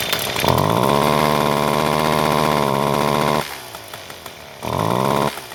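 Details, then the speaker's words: John Deere S1400 two-stroke weed eater with good compression that bogs on throttle: after the choke is taken off it revs with a muffled, very quiet flat buzz and drops back short of full speed, from a carbon-plugged muffler. "There it is running. It's very, very, very, very, very quiet. When you rev it,"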